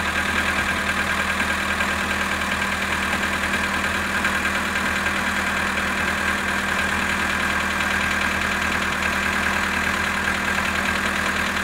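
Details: VW Polo sedan, 18,967 km, cold idle at −19 °C: light, fairly even ticking knock over the engine hum, about 1.5 beats per second; engine knock on cold start.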